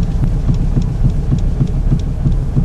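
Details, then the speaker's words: Car idling on the ground, steering wheel rocked fast with wheels held on pavement: deep regular thumps about four a second from play on the driver's side, a worn tie rod end; passenger-side end recently replaced. "I don't know if you could hear that but it's a thump that means there's play in the system and so now I'm pretty convinced and it sounds like it's on the driver's side"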